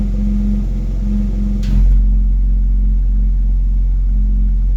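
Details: BMW X3 M at idle: a low hum or rattle from the exhaust comes and goes, stops when the accelerator is pressed about 1 cm without revving, and is sometimes much louder; cause not yet found.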